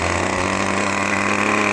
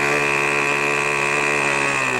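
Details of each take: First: Brand-new OS 40 FP glow engine on a PT-40 RC airplane, held back by an assistant during ground break-in: loud, steady high-pitched buzz at full throttle with a rough, burbling edge; mixture set rich, to be leaned with the needle valve. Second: New O.S. 40 FP glow engine on a PT-40 RC airplane during ground break-in, needle leaned slightly: high buzz drops in pitch as throttle comes back, settling into a steady, even low idle suitable for taxiing.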